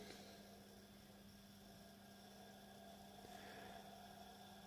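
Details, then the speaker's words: Second small 230 V single-phase induction motor, unloaded, on a homemade variac: at about 50 V it spins up smoothly after a push on the shaft (not at 37–38 V), quiet hum rising in tone as it gathers speed. "can hear it speeding up so this one spins nicely at 50 watts if we get it give it a little bit of a push"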